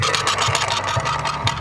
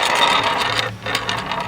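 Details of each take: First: Bow axle, rolled on a flat surface: light rolling rumble with a dull thump about twice a second, once per turn; a bent axle, also visible as it rolls. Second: Bow axle removed during a dry-fire inspection, rolled on a flat surface near the mic: even, light rolling rattle with no repeating catch or wobble; the axle is straight.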